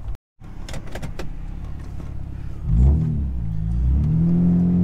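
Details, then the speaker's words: Nissan Maxima with a replacement engine and transmission (75,000 miles), OBX headers and a Vibrant Performance muffler. Brief pause, then a clean rev settling into a deep, mellow exhaust note with mild drone, quieter than the previous muffler; normal. "now this muffler makes the car sound quieter and i don't have a lot of drone like compared to the other one that we had so it's pretty good"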